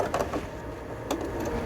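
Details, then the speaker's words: Sewing machine stitching near a zipper while making a glasses case/pencil case: fast stitching chatter with odd irregular clacks and a rough catch just before the thread snapped; operator suspects the bobbin case, cause unknown. "소리가 이상한 소리가 나더니 실이 끊어졌고 일단 실 다시 끼고 뭐가 문제지? 왜 북집에서 이상한 소리 나는 거 같은데?"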